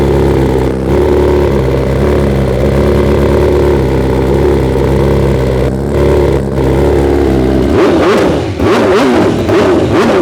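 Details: 2021 BMW S 1000 RR first start after fitting full exhaust (Akrapovic titanium headers, SC Project carbon canister), no ECU flash or tune: catches and settles to smooth even idle, clean free-revving blips; runs healthy, behaves well untuned.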